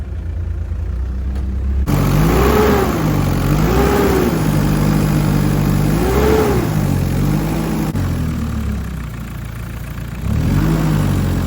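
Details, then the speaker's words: Perkins diesel engine on a CAT generator running rough and surging at steady throttle, speed swelling and falling every couple of seconds; loose unbolted cab also banging; suspected fuel leak from injector seats, cause not confirmed. "it is like surging a bit you know if you keep your accelerator on constantly you can hear it like"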